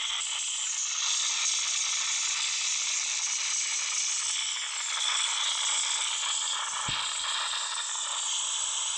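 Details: Samsung Note 9 loudspeaker randomly makes weird noise during playback, stopped only by rebooting the phone: thin hissy crackle with irregular ratcheting rasp and no low end; cause unknown.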